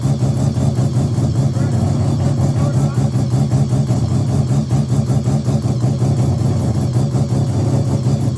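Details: Mazda RX7 bridgeport 13B rotary after EFI conversion, borrowed Microtech ECU not yet tuned, 700cc injectors: choppy pulsing idle with uneven beat and lumpy low drone; runs rough, untuned.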